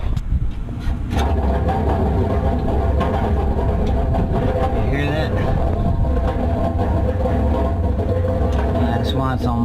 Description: Today I will Change the Cracked Belt on the AAON Unit and we will take a look at the bad blower motor on the other unit.